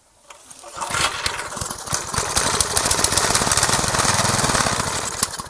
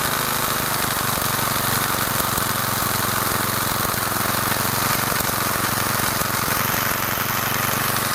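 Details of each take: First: Garage-sale gas edger, carburetor cleaned and refitted, choke on: fast popping sputter about four beats a second, never catches; fuel-air mixture screw was fully in, backing it out one then another half turn got it running. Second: Garage-sale gas edger after carburetor cleaned and refitted, choke on: steady buzzy small-engine run, no surging or misfire; now running after fuel-air mixture screw, found fully in, was backed out about one and a half turns; still needs fine tuning.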